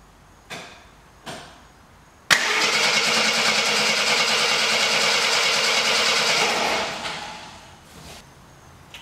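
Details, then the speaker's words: 1972 Jeep Commando that sat since 2012, on a first start attempt: the starter spins the engine steadily at about three turns a second but it never catches. The coil has voltage, but whether there is spark is unconfirmed. "nothing there so next i'm gonna check make sure i have voltage at the coil so just tested the voltage the coil is getting voltage i'm not sure if we're getting sparky though"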